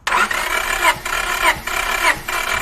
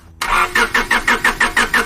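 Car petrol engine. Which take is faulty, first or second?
second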